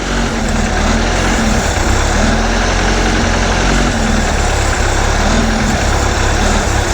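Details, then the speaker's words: 1976 MerCruiser 120hp sterndrive in a Starcraft boat during winterizing, at fast idle while fogging oil is fed in, a little smoke starting: low, steady drone with an even beat and no misses; running cleanly. "we're going to take the RPMs up just a touch higher so it can drink some more of this starting to see a Little Smoke"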